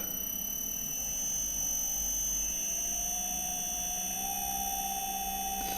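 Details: 4-pole 0.18 kW induction motor on a Commander C200 variable speed drive, speed raised with the potentiometer: a steady high inverter whine with a fainter tone stepping upward. The motor runs up normally.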